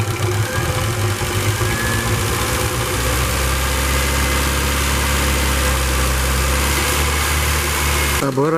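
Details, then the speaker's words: Engine with LPG, after an oil change and a flush done to cure hydraulic lifter knock: smooth, even idle with only light quick ticking from the gas injectors; no lifter knock, engine seems to run quieter and healthy. "Может быть, это какое-то самовнушение, но вроде бы как двигатель работает тише. Только форсунки газовые цокотят, а двигатель, как вы видите, шепчет."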